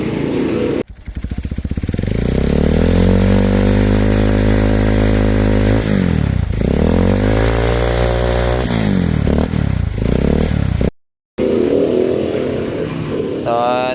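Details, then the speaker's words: Honda XR150 with heavy morning exhaust smoke, before engine refresh and rebore: single revs rise and drop cleanly several times, no knocks or rattles; engine runs okay and quiet despite the smoke. "Pero okay naman manakbo at tahimik naman siya."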